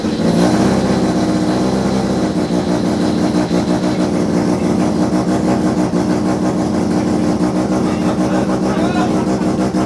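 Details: Mazda FB RX-7 with Turbo II rotary engine running for the first time, trailing coil possibly not firing, lots of smoke: uneven, lumpy idle with ragged surging and rev blips, never settling; running rough, kinks still to work out.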